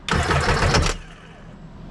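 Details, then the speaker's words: 2005 Sea-Doo supercharged jet ski after starter replacement, out of water: about a second of quick, even cranking pulses; new starter spins the engine freely, no dragging or clicking. "All right, well, she's cranking at least now, so we at least know it cranks."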